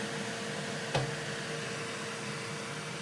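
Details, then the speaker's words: Elegoo Centauri Carbon 3D printer, new, during initial setup calibration, door open: cooling fan switched to full, owner unsure if it is a fan test; steady airy rush, faint constant tone, one brief clack; lots of airflow, normal. "I don't know if it's testing the fan or why it turned on the fan to full, but there's a lot of air flow coming out."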